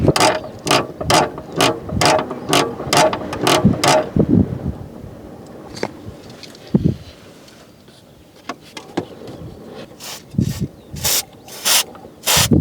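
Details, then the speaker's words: Clutch cable gives rhythmic dry ratcheting clicks, about two a second, each time the clutch moves; recorded outdoors in wind. Clutch not slipping; owner suspects lubrication, cable, adjustment or clutch wear; lubing failed, cable seems crooked; creaking clutch cable. "But I want to find that cable right there. Maybe I can show you the sound that is annoying me."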